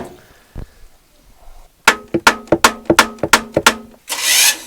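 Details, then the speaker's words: Glastron-Carlson CVX23 boat engine on water hose, about nine sharp metallic clanks, roughly three a second, as the starter tries to engage; owner suspects a bad tooth on the flywheel, not confirmed. "think I have a bad tooth on the flywheel. I gotta see if I can rotate the crank."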